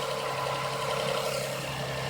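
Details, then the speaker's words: 2005–2008 Toyota Sienna V6 after spark plug replacement; quiet, even idle with a steady tone, no misses or ticking; normal idle. "here it is you can hear the engine running hopefully so smooth everything looks nice"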